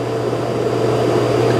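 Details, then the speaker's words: Dreame X40 Ultra robot vacuum dock auto-empty cycle, quieter than the Roborock QRevo MaxV and Eufy X10: a steady, even suction roar with a low hum and no rattles or surges. Normal self-empty cycle. "Here's the auto empty on the X40. It's the quietest of the three."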